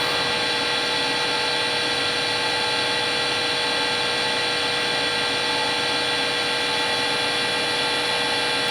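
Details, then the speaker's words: Harvey lathe spindle after new bearings, around 1630 RPM; measured about 57 average versus 64 before. Smooth, even, quieter hum with no knocking or grinding; normal running. "So that is improvement in terms of the sound loudness, let's say, but we'll see how this works out on the video."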